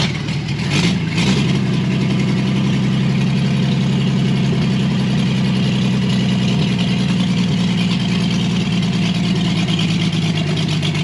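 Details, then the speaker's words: Chevrolet Blue Flame stovebolt six, out of the truck, run longer on test with a sink instead of a radiator, getting warm: steady even low idle, smooth unchanging beat, no knocks or misses; healthy warm idle. "it's nice to hear this thing run and we made some progress and we know we can get that mutt truck going so I'm going to call this a massive win"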